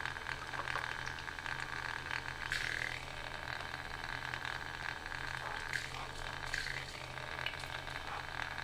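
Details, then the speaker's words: AliExpress water-cooling pump in a PC loop with a 140mm radiator, heard at idle after power-up: a constant low hum under a steady hissing, bubbly wash, far louder than it should be. Owner says it is quite noisy, possibly because it is new, and plans to swap it. "isn't it annoying this noise yeah that's what pump noise makes"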